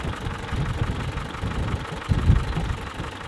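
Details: 1948 Willys Jeep engine after 1,300 miles and spark plug cable repair: uneven, lumpy idle with irregular surges; rough running traced to excessive play in the distributor rotor, which looks possibly broken.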